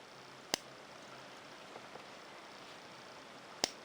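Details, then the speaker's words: Onoto 5500 plunger-filler fountain pen, circa 1930s, plunger pushed down in ink: two crisp little pops about three seconds apart, showing the plunger seal is working. "What we hear when we push it down, you should hear a slight sort of popping sound, so I'll be quiet."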